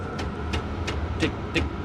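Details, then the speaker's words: Chinese diesel heater (Vevor, all-in-one short square case with fuel) at idle, still hot with the fan slowed: crisp, even fuel-pump ticks about three per second over a soft fan hum; this unit's pump is a little noisier, normal ticking. "it's on idle it's still nice and hot it just the fan came down but it's quiet reasonably this one is a little noisier as far as the fuel pump you can hear it"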